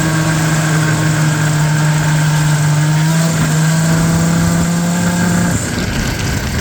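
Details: Vintage Yamaha ET snowmobile, two-stroke, being ridden in snow: steady revs with a ragged, uneven beat, like one cylinder only half firing; misfire suspected from a bad motor, not confirmed.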